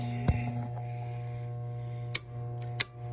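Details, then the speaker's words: Four-ton HVAC system after storm damage: the blower motor gets power but only hums steadily with a few clicks, trying and failing to spin up; the capacitor is to be checked next. "let's go to the four ton the blower motor is just humming it's not actually coming home"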